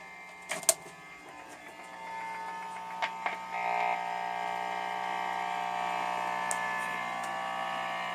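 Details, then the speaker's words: Buzz in a home-studio guitar amplifier (heard through a wah pedal): unplugging the Wi-Fi unit changes nothing; plugging in the living-room LG TV turns the amp's low hum into a loud, steady electric buzz, so TV interference causes it. "amazingly it turns out that this tv lg tv in the living room causes this noise here"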